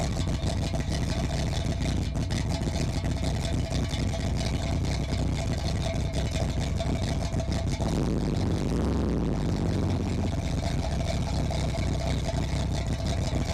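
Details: 1981 Chevy Corvette, brand-new V8 after overheating and fuel-leak fixes: electric fan, new fuel filter and spacer. Deep, steady idle with an even low rumble and no knocks or misses. Normal idle; owner suspects a bad thermostat.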